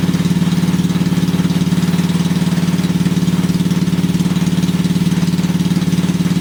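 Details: Briggs and Stratton 5HP single-cylinder engine after the starter clutch (sprag) was replaced: a steady, even putter at constant speed with no knocks or misses; it's running smoothly and healthy.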